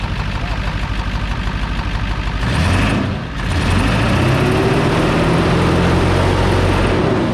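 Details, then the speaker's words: 7.3 Powerstroke diesel first start in a year after turbo rebuild, new injectors, glow plugs, valve covers and wiring, cold air intake not fitted: low steady clatter about three beats a second, idle sounds normal; visible boost leaks. "Dude, now that kind of sounds normal. Huh? That sounds kind of normal right now."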